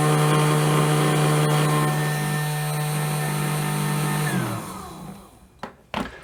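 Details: 200 W motor for a remote-control car running at maximum speed through an H-bridge power test, transistors staying near 25°C: smooth, steady single-pitch hum, then a clean spin-down; normal running.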